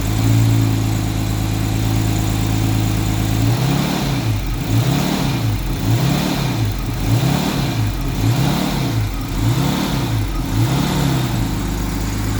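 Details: 1989 Jaguar XJS 5.3 V12 that cut out while driving and wouldn't restart; now starts after sitting a few hours but sounds bad, revs up fine on seemingly all 12 cylinders, and surges, speed hunting about once a second, with the throttle held just off idle.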